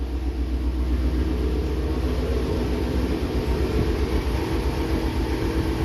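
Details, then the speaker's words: Warm idle of a 3,800-mile 2019 Shelby GT350 just fitted with a Gen5 Whipple 3.0 supercharger and ARH catless long-tube headers, on its start-up tune, kept off boost: very loud, even loping V8 burble with no knocks, misses or leaks; normal idle. "wow that is so loud everything's looking good in here"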